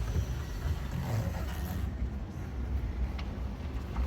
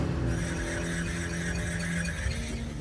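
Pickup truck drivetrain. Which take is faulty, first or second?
second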